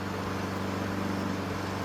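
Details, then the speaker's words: Honda HRN216 lawn mower after a full general service and tune-up with a sharpened, leveled blade: small single-cylinder engine steady and even, no misses, knocks or shake; runs smooth and healthy. "There is if I touch it. That's from the blades being so perfectly leveled. Sounds good."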